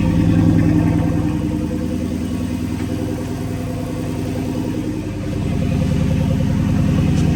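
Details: Dodge Charger/Chrysler 300 5.7 Hemi after resurfacing the warped exhaust manifold, new gasket and broken bolts fixed, checked for leaks at start-up: steady, even V8 idle, smooth low pulse, no ticking or puffing at manifold. Normal idle.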